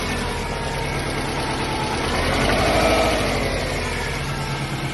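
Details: Subaru EJ205 boxer at idle: steady, rapid knock about three a second; owner suspects piston slap or damaged crankshaft bearings, not confirmed.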